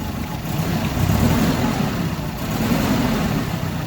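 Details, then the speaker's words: Nissan engine idling unevenly with a stumbling, lopsided beat; customer complaint of rough running, single-cylinder misfire suspected before a cranking compression test. "so let's try to crank it start it and see all right let's compare him it is really running rough"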